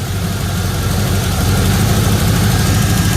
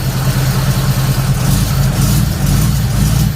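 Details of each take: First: Third-gen Camaro small-block Chevy V8 idling after timing set to about eight degrees and advance reconnected: smooth, even rumble with constant beat, no misses, rattles or ticks; normal idle after timing fix. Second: Third-gen Camaro small-block Chevy V8 with new Summit computer, ignition timing checked at about six degrees with timing light, revving in lazy uneven surges that never sharpen; better than yesterday but still not right, something holding it back; rough running.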